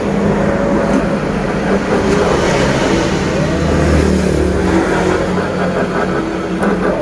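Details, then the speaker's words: 2020–2021 Honda Beat DX scooter, engine off, rear wheel turned by hand: steady rough grinding "srok-srok" from the CVT, judged 90% a worn pulley bearing. It is barely noticeable when riding and does not affect pull. "Ini sangat berisik sekali, tetapi pada saat sepeda motor jalan dia tidak begitu kerasa, dan untuk tarikannya juga tidak ada efek apa-apa."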